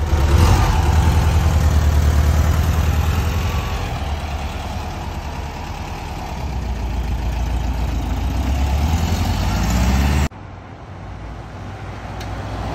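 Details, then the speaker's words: Air-cooled VW Beetle flat-four, engine just repaired, after fitting missing transmission-to-engine ground cable that caused burned coils and faults: steady regular chuff settling evenly, then cut off; runs clean. "Ahí está ya el cable puesto de tierra, la transmisión al motor. Ya no hay bronca."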